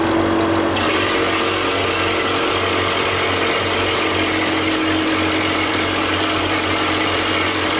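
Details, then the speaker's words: Refrigeration unit bought as working but found with miswired earths used as live: the compressor runs hot with a loud steady mechanical clatter and an intermittent thin whistle, and is expected to stall; bad valves suspected; failing compressor that needs replacing. "she's working on there you know a lot of heat coming off of that it's going to stall again in a minute"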